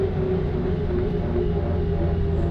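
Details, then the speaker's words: AE86 after hard track testing, driving home at cruise: steady mid-pitched whine over low road rumble; owner says the differential does not sound happy and the car sounded iffy and loud; rear end whine. "I don't know if you guys can hear that on camera. That diff is not sounding like it is happy."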